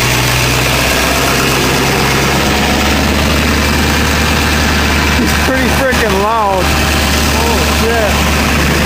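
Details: 2000 Ford 7.3 Powerstroke diesel cold start in 7°F Wisconsin weather (about 10 above said): steady, even low clatter with no hunting or lope, white smoke; normal cold idle.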